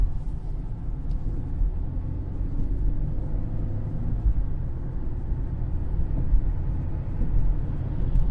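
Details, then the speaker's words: 2013 Cadillac CTS 3.0 RWD cruising on test drive after repair (had 40–45 mph vibration, driveshaft phasing marks removed): steady low road rumble, no hum or whine, earlier faint noise gone, slight tire shake remains; drivetrain quiet. "guys i don't even hear it anymore like you used to have this faint noise"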